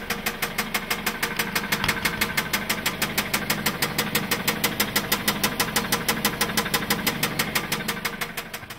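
Sharp, even ticking-knock about three per second rides over a steady idle, clearly audible above the engine; source of the knock undetermined.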